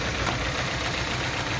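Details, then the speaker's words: Old Citroën Berlingo, running on gasoline (normally on gas), idling and accelerating: steady rough hiss and chatter over a low rumble, no clear squeal; worn accessory poly-V belt noise, replacement belt bought. "esse é o problema e aí a a correia de serviço dele lá ó e aí quando você acelera ó ó"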